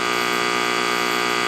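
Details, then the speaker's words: Tube amplifier with 6L6s, listening tapped at a resistor, snubber capacitors removed from across the rectifier diodes: steady raspy buzz spreading well into the treble; diode reverse-recovery switching noise, which two cheap capacitors dramatically reduce. "Look at that. That is a lot of noise. Two 50 cent parts will dramatically reduce that. Those two parts are the capacitors."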